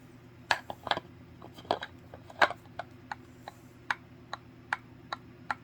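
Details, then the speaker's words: Loose grip-end clicking on a BF SelectTech 552/1090 dumbbell: uneven sharp clicks about every two seconds as the handle rocks in weight assembly one; the end fits loosely, and wrapping it in electrical or masking tape tightens the fit. "so in some cases you get quite a bit of movement and when you're working out you can hear it and you can feel it"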